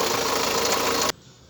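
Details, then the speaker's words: VW Saveiro petrol engine running: harsh loud rattling clatter from the timing belt area; slack timing belt slapping, belt had not jumped a tooth; bearing or water pump failure suspected as cause. "Se foi rolamento, se foi bomba d'água que quebrou, porque tá feio o barulho."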